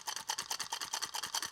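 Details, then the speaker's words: Mitsubishi Evo X torque damper held in hand: quick bright metallic rattle in bursts, about six a second, because its springs are broken and lack tension; in the car it shows warm at idle, out of drive. "rattling that is basically because the Springs are broken and they're moving on their own there should be should be tension inside that and they should be um not rattling like that"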